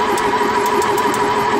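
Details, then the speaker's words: Ford 2.0 Pinto SOHC engine in a Mk3 Capri, unstarted for about six months, plugs out and rocker cover off for oil priming: steady even cranking that slows slightly as full oil pressure builds; no knocks, oil reaching the cam. "so we've got oil pressure there you can sort of hear the engine turning over slows down a bit when you get full oil pressure"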